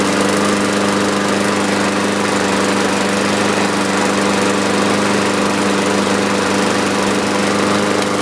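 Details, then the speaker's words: 2015 Yard Machines (MTD) 21-inch mower, Briggs & Stratton 550E 140cc engine, after carburetor cleaning (previously started briefly then quit): steady, even buzz at constant speed, no misses or hunting; normal running. "so I'm looking at my little ticker here 25 minutes start to finish we got this thing rectified"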